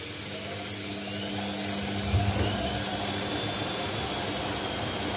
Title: INDESIT mini unbalanced spin with bad bearings